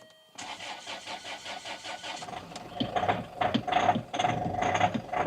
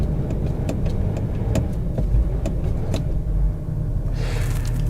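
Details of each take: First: Luxury SUV with a 2.2 L diesel at 120,000 miles: brief cranking, then a hard, clattery idle with a steady knocking rhythm; the rough sound is typical for this engine and nothing is wrong. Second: Luxury diesel SUV bought under £1,000, cold start after glow plugs: engine chugs unevenly with a low lumpy beat and irregular sharp knocks, very lumpy rough running with heavy smoke; cause unconfirmed.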